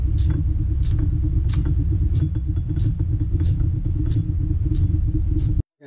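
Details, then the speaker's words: Old Holley electric fuel pump for V8 engines, bench-tested after rebuild: seized rotor freed, cleaned and lightly lubricated; steady low electric hum with a light tick about every two-thirds of a second, then stops; pump running normally. "let's try and do a final test here that sounds much better"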